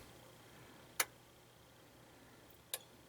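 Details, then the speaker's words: Pioneer SX-1050 receiver, first power-up on the bench before restoration: two crisp quiet clicks about 1.7 s apart, first the relay shunting out the inrush resistor, then the protection-circuit relay confirming all is okay; normal power-up, no buzz or hum. "you're going to hear one quiet click which is the the first relay that shunts out that resistor and then the second click that you hear is the protection circuit saying everything's okay"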